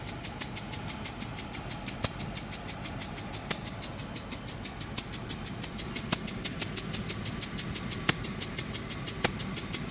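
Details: 2003 Land Rover Discovery with a running engine: sharp, even clicking at about four to five per second over a quiet engine; the cause is unknown.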